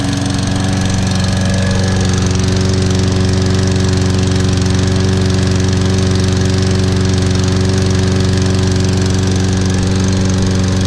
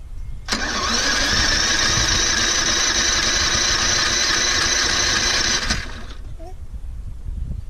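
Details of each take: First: Toro Recycler 22-in model 20332 rope-start mower, 190cc engine with auto choke, on a January cold start after probably about 3 months unused; it started better than the electric-start one. Steady, even single-cylinder drone at constant speed with no misses or knocks: normal running. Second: Toro Recycler 22-in model 20334, 190cc engine, electric start, auto choke, January cold start after sitting some time. Brief crank, then catches and settles into steady buzzing run before shutting off; took a bit to start from cold.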